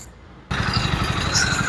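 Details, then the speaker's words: Hero Splendor BS6 single-cylinder motorcycle with 35,000 km, used for deliveries: heavy, rapid low thumping at idle from a worn crankshaft knocking. "तो गाड़ी कुल 35000 kilometre चली हुई है और इस गाड़ी के इंजन में से क्रैंक की आवाज आने लगी है"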